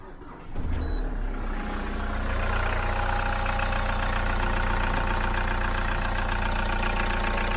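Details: Hyundai iLoad diesel van, about 3 years old, 39,000 km, short city trips, engine cold, before Liqui Moly intake decarb; steady low idle rumble with light rapid tappety ticking, noisier than when new, cause unclear, meter about 90 dB.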